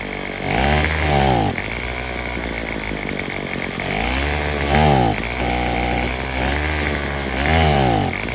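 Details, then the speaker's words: Craftsman WS210 weed eater after fitting a new carburetor with the old primer bulb and diaphragm parts: speed rises and sags every couple of seconds, won't idle or reach full throttle; engine surging. "we've got the weed eater running except it won't throttle all the way up so I'm not sure what's going on with that thank you uh so now it won't idle and it won't go full all right"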